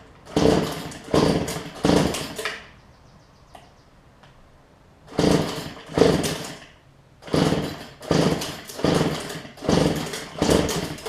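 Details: Cheap two-stroke weedeater gives buzzy one-second bursts, throttled up and down with short pauses; it runs and revs cleanly.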